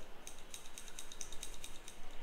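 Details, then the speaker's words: Royal Enfield Himalayan, hot after riding in heat, slow-speed trail riding around 1.5–3k rpm: intermittent irregular light ticks over low engine rumble that fade on acceleration; cause found to be a sticking, faulty auto-decompression lever on the camshaft. "it used to make that intermittent Tu t t t Tu and it was it was not it was not very regular unless you're rolling slowly rolling on you would get to hear it like"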